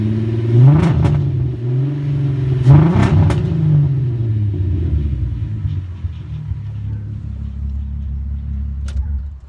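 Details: 2001 VW Golf GTI VR6 loses power and sputters badly under load, mostly 25–45 mph, spark plugs changed an hour earlier; uneven stumbling rev as if a cylinder drops out, cylinder 3 misfire; owner suspects coil pack or timing chain tensioner.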